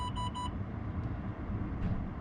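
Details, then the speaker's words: Land Rover Discovery 3/LR3 with engine idling: park brake switch flicked up brings three quick warning chimes and no motor whir; electronic park brake has not worked for a long time. "And another one, which I can actually show you right now because my park brake doesn't work, hasn't worked in ages, is your park brake. So you just want to flick it up, you can hear it making. That's what happens when it doesn't work."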